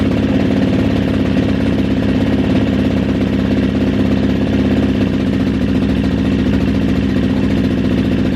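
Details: Kawasaki KXF400 quad after carburetor fix: steady, even idle with a quick regular beat and no misses or surging; the engine is running cleanly.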